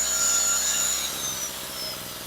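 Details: Storm Cat 700W two-stroke 63cc generator after repair, run on 40:1 fuel mix (spec 50:1), a little smoky: steady, high buzzy drone holding even speed with no surging or stumbling; running properly.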